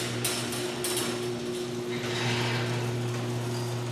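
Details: Garage door opener hums steadily while the door clanks and rattles irregularly as it travels, before replacing worn rollers with nylon rollers; noisy door from worn rollers.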